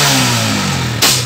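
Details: Honda CG125 125cc motorcycle with a starting problem and misfiring, which backfires when revved, especially when hot. Revs fall away, then one sharp pop: backfire from a worn, wide-gapped spark plug.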